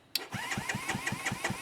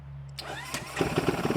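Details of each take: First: ZS212 Grom-clone motorcycle just fitted with a Nibbi PE28 carb replacing the Keihin copy, choke off, fuel on, in neutral: starter cranks steadily about 160 beats a minute for three seconds without firing, carb float bowl still empty. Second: ZS212 4-valve engine in a 2025 Boom Vader BD125-10 Grom clone, newly fitted Nibbi PE28 carburetor, cold, no choke, idle set around 2,000 rpm: starts after brief crank and settles into a quick even putter. Normal idle.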